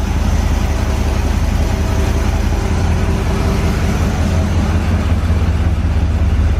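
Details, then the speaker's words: Corvette V8 after a tune-up, now running from its cleaned tank with new fuel lines instead of a gas can and starting to warm up: a deep, even burble with no stumbles or misses. Normal idle, though an exhaust leak was noted at the passenger-side collector donut. "Yeah, sounds pretty good. Not running on a gas can no more."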